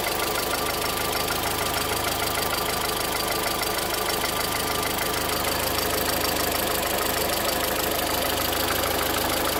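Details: 2013 VW Voyage with EA111 engine: even idle with a sharp regular tapping about three times a second on top, a knock from inside the engine.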